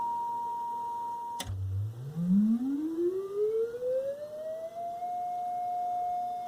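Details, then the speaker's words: General Electric SC2310B 8-track AM/FM stereo, ceramic cartridge input at about half a volt: a test tone sweeps up and settles, buzzy and harsh like a sawtooth or square wave instead of clean; one amplifier channel distorts. "yeah shouldn't sound like that almost sounds like a sawtooth or a square wave"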